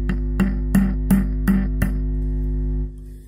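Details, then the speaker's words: Ampeg SVT-3 PRO bass amp with crackling, popping and buzzing complaint, volume up, input cable unconnected: six quick taps on a preamp tube ring briefly through the speaker over steady mains hum; tubes found microphonic. "secondly what I found as I was tapping around up here is all the tubes foundered microphonic"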